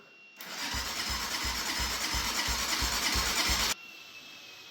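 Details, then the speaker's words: Abandoned Gilera motorbike left in a field for years, electric starter cranking with easy start: steady churn about three compression pulses a second that never catches; cranks but won't start, suspected no spark from a rusty spark plug, unconfirmed. "She's not going to go. I don't think she's sparking. No, I think that spark plug's a bit too rusty."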